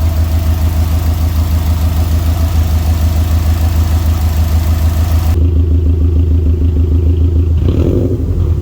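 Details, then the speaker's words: Tuned turbo Subaru idling during ECU idle learning, reseated Torque Solutions turbo inlet that wasn't sitting properly: smooth, even low idle with steady beat, no knocks, shudder, rattle or vibrations; running really good. Normal idle. "yeah the car just sounds so good right now like i feel like it sounded better than when i first got it back from the tune"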